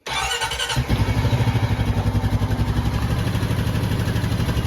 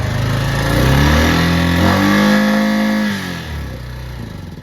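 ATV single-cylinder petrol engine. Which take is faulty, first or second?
second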